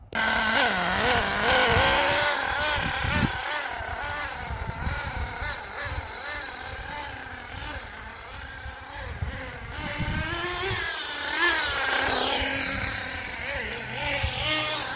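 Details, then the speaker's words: HPI Firestorm 10T nitro RC car after refitting wrongly installed carburettor barrel: high buzzy engine revs unevenly and keeps cutting out, though it has most of its power; carb still worrying, idle screw and high/low needles need tuning. "But as you can see, the engine's got pretty much its power, but I don't know, that carb's worrying me a bit, and the brakes aren't all that good."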